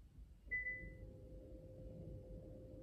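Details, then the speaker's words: 2018 Kia Optima (JF) electric parking brake, scan tool commanded: short beep then quiet steady motor hum of rear caliper actuator applying; normal operation, used before rear brake pad replacement. "again I can hear the actuator operation okay that's it so this one is going to is going to release or is going to apply the parking brake"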